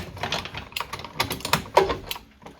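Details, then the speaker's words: Vintage single-cylinder Tecumseh engine, not run, crankshaft turned by hand: irregular metallic clunks and rattles. The crank has side-to-side play and the engine locks up occasionally, suggesting something loose inside; cause not yet confirmed. "I didn't even try to run it because of the issue of crankshaft. Got a wee bit of side-to-side movement. But it's certainly got some bangs and"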